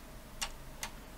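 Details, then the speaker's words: Panasonic DMR-EX99V VHS/DVD/HDD recorder whose VHS mechanism was damaged by a remote battery cover pushed inside; tray not returning forward. Two crisp clicks about 0.4 s apart with no loading sound; mechanism seems out of sync, cause suspected, not confirmed. "it certainly sounds like the mechanism is out of synchronization in some way"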